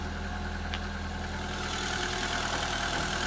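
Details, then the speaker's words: 1993 Peugeot 205 Style, 1.1 litre petrol, unmodified engine, garaged and unused for 5 months, replacement back box fitted five years ago: a steady, even petrol idle with a smooth low hum and no knocks or misfires; sounds healthy. "the 1.1 litre petrol engine absolutely unmolested"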